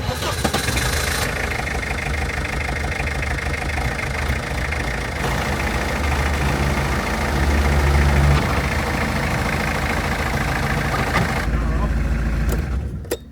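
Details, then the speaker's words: 30-year-old Peugeot 106 on a road trip, mystery sound after being fine all day: petrol engine starts and runs with an uneven, rough rumble and irregular knocking at idle; cause not found, and the noise later stops. "Nothing obvious, but you can hear something. Yeah, there's definitely something going on."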